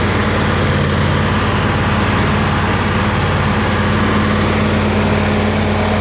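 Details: Ford 302 V8 driving an air compressor, after a tune-up with new plugs, plug wires, cap and rotor and a new fuel pump; loud, steady low drone and constant hum, no stumbling or ticking, running smooth.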